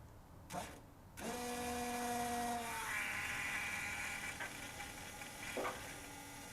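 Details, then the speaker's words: 1976 VW Beetle with factory fuel injection, hot no-start: fuel pump given power directly gives a short, steady, even electric hum, so the pump itself runs normally. "So I'm going to apply power directly to the pump and see if it even comes on."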